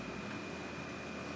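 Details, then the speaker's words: Whirlpool gas dryer on 220 V that wouldn't start, after replacing the blown high-limit switch on the back. Steady, even whoosh of tumbling air with a faint constant whine and no scraping; it fires right up and runs normally. "it fires right up so that did the trick"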